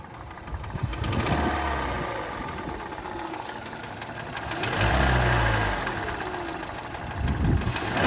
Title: 2013 Hyundai Elantra w/ Piston Slap Engine Noise